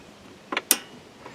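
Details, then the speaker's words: Riding mower that won't start despite spark and fuel, key turned on without cranking: carburetor fuel shutoff solenoid gives two crisp clicks half a second apart as 12 volts pulls its plunger in, working as it should. "just a cylinder it's been you know 12 volts is being supplied here and it's pulling down a plunger inside"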